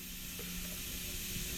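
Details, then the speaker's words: Model wig-wag steam engine on air, first-ever start: pressure slowly introduced with the valve open gives a steady hiss of escaping air with barely any engine beat; bubbling at the valve face suggests a leak there before it begins moving. "I'm going to slowly introduce pressure here uh sorry you in the so you can hear the pressure coming through"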